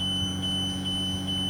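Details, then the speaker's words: 2020 Tiffin Allegro 34PA motorhome, hydraulic leveling jacks lowering after the automatic rear-then-front leveling sequence: steady high-pitched beep over low pump hum, signalling jacks are down; normal, stops when key turned off. "and once it's done it'll stop and you'll hear a beeping noise the beeping noise is telling you your jacks are down"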